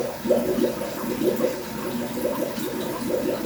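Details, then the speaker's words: Fluval 406 canister filter on a 150-gallon aquarium, primed with a power head and makeshift attachment: steady watery gurgling and sloshing as the pump fills and air and debris are pushed out; normal priming. "But I can hear that pump filled up. I can see that it's stopped over there. You can see the junk coming out of the tubing. So I'm going to stop priming right now."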